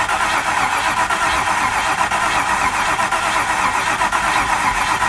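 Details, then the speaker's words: Range Rover Classic LSE soft dash, first start attempt at half throttle: starter churns steadily with no firing or catch; spark confirmed on one plug, so lack of fuel delivery is suspected. "Sorry guys, I should probably say we did check that we had a spark on one of the plugs, so it's obviously got no fuel there, is it?"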